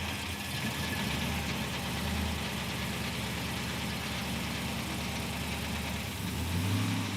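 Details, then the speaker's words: 1940 Chevrolet Coupe gasser, off road about 40 years, idling in park with listener at the bottom end; low steady idle with light rattle, possibly from the cable torque strap around the motor mount. "There's a torque strap, which is just simply a about 38 around cable wrapped around the motor mount."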